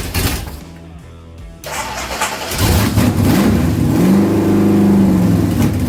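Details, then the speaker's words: Ford Pinto drag car with rebuilt Holley carburetor: engine catches but only runs while throttle is blipped, revs rising and falling with no idle; the idle circuit hole was blocked. "this hole is now blocked there it is see and that hole here is for the idle circuit so that's why I couldn't get it to idle"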